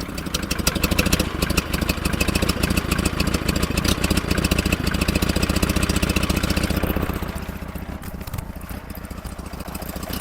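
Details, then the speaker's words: 1947 Farmall Cub idling while warming up, flooding and controlled with the main fuel valve. Uneven, stumbling idle that sputters and catches again, with beats missing; misfire because the valve beside the intake manifold on the right-hand side is stuck. "You can see they're all going up and down except that one beside the intake manifold the right hand side stuck tight."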